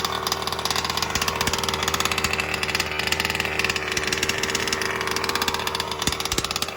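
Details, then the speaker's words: New BR 32cc piston-port two-stroke with a Bartolone end-bleed pipe, first-ever start after priming and a brief choke: a fast, buzzy idle holding steady with an even crackle from the pipe. It runs well; low speed was fattened for break-in. "Sounds good, bro. Congratulations, kid. She sounds great."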